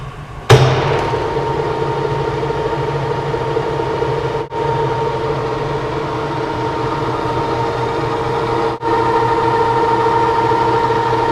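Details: Monarch CK12 lathe, spindle engaged around 140 up to 1000 RPM: spins up into smooth even hum with steady gear tones, no knocks or grinding; quiet machine, brake working properly.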